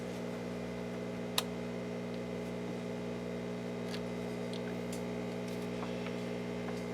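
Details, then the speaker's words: Restored Rogers Majestic R22020A (Philips F2C20A) console radio powered up to about 120 with mid light, no smoke; low steady mains hum, even buzz; normal transformer hum. "Up to about 120. Well, we're getting hum, which is good."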